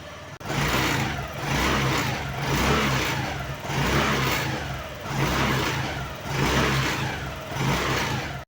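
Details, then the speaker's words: Honda Activa 110cc Deluxe scooter (same issue on 125cc BS6 6G 2023/2024), seat removed, engine started and blipped about once a second: buzzy metallic rattle riding each rev from a metal rod under the seat vibrating when accelerating. "तो friends यह जो आवाज आ रही है वह आ रही है इस मेटल की रॉड से यह वाली तो फ्रेंड्स अगर आप गौर से देखेंगे जब मैं एक्सलरेट कर रहा हूं तो यह रड पूरी वाइब्रेट कर रही [प्रशंसा] है"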